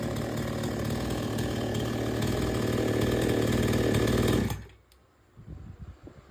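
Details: Chainsaw that would not take load, after H/L screws set fully in, then out three turns. Strong, even revs through the wood without bogging, then a clean cut-off: normal cutting under load.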